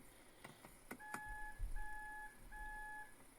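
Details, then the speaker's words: 2010 Honda Odyssey, 125,000 miles: clicks then three even beeps about half a second each, driver-side power sliding door stays shut and lock keeps relocking; gas cap area sensor that detects whether the fuel door is open is implicated. "you get the three beeps if you look here you'll see the lock keeps locking"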